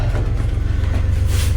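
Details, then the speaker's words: Narrowboat water pump running with the boat engine on, after clearing a silt-clogged filter during pump-out toilet plumbing work: steady low hum with light regular pulsing over the engine drone; pump now pumping normally. "pump certainly sounds like it's pumping now."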